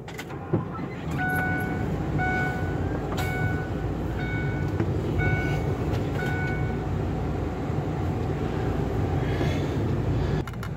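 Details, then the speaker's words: 31 ft RV slide-out motor after replacing a failed 15-year-old switch with crimp connectors: steady, even motor drone for about ten seconds with short repeating beeps, then stops cleanly; slide-out works normally. "so it works this uh little uh $9 switch screwing me over here"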